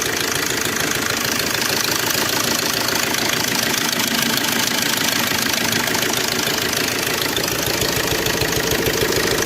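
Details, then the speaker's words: Suzuki Swift DDiS diesel, about 21,000 km: idle with constant metallic chatter of three to four clatters a second over the knock, heard also at the open air filter; slack timing chain rattle, engine stalls. "और गाड़ी में टपा टपा टपा टपा ऐसा sound आ रहा है।"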